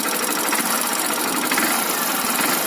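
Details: Hero Splendor Plus BS6 motorcycle, engine started and idling before tappet setting: a fast, light, even ticking over the idle, tappet noise from excess valve clearance.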